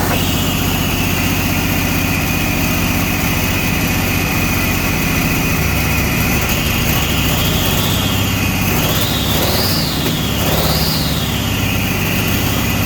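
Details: Chevy S10 street rod, homemade turbo setup with carbs, fired up after carb tweak, run in shop: loud idle with uneven lumpy low beat and wandering note; rough idle, cause not yet pinned down.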